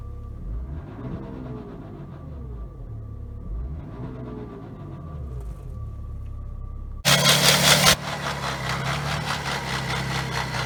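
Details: BMW X5 E70 with N57 diesel engine starting and idling: fast uneven metallic rattle under diesel clatter from a bad timing chain, checked with timing chain tools.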